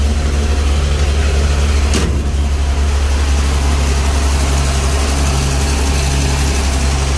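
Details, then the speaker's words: Nissan G60 tow truck with a carbureted petrol engine, idling after a cold start following months of sitting: a steady, even, smooth idle with no knocks or misses. It runs really well with plenty of fuel reaching the carburetor. "And it actually runs really good. Plenty of fuel going into that carburetor."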